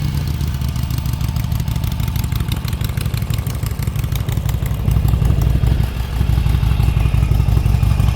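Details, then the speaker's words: 2011 motorcycle running after a leaking fuel line was repaired and it was reassembled. Steady, even low beat that lifts slightly as it picks up. Finally running and fuelling properly; normal running. "Um, we at least finally got the bike running cuz I was looking fuel."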